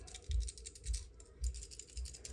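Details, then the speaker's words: Electrolux fridge (EI11BF25LS) compressor start relay shaken by hand: short loose rattles in bursts about every half second from its broken internal ceramic disc, cause of compressor only humming and not cooling. "can you hear that it has a little small disc inside ceramic disc that disc breaks over time and then it doesn't work anymore"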